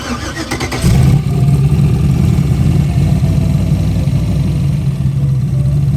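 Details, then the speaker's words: Turbo Ford Fairmont driven back after a problem: deep, steady V8 rumble with a dull knock on the driver's side, suspected at cylinder 7, not thought to be a lifter; owners suspect bent connecting rods. "It sounds to both of us, like Dad's off camera here, it sounds to both of us like it's cylinder 7, and we're not convinced it's a lifter."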